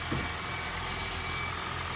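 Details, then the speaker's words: Toyota Corolla, 481,000 miles, idling after sitting 3 weeks in cold garage, settling toward normal operating temperature; steady low hum with even hiss on top, no knocks or misses; normal warm idle. "engine seems to be settling down should be AC the normal operating temperatures"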